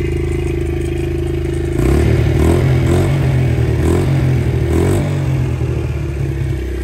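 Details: Honda XR70 single-cylinder, smoking, low compression, rings suspected; after about 10 minutes running, revving: loose, uneven clatter growing with throttle, cam chain slap; chain found floppy on its sprocket.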